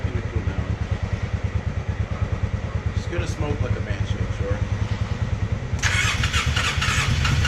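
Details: Polaris Sportsman 600 ATV engine: starter cranks fast and lopsided at about three beats a second with no catch on the uneven pulses; low compression, only 120 psi in one cylinder.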